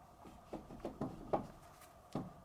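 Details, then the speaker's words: GMC Sierra front wheel hub that ran hotter than the others, jacked up and rocked by hand: dull, uneven clunks from play in a worn hub bearing assembly, with no driving noise. "you can even hear it. That wheel bearing's shot."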